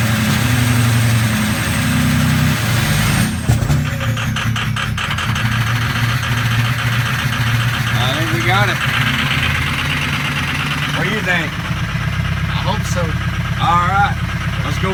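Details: Ford 6.0L Power Stroke diesel starting cold with injector 7 nearly dead and injector 3 failing: the low idle lurches and stumbles unevenly and never settles, barely running until warmed up. Misfire from failed injectors.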